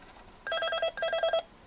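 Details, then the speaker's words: Intercom handset that rings but won't answer: two steady electronic ring bursts of about half a second each, still ringing after pickup with no audio; hook-switch magnet is misaligned. "समस्या थोड़ी पेचीदा है, रिसीवर बज रहा है। मैंने रिसीवर उठाया।"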